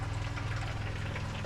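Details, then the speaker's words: Barn-find Rover SD1 V8 rally car sat over 20 years, newly fitted fuel pump with lines blown out, flowing into a drum; soft steady hum with faint liquid rush, much quieter than before, fuel coming through clean; normal fuel pump operation. "That sounds Oh, yes. >> Yeah. >> That sounds a hell of a lot quieter and all, doesn't it?"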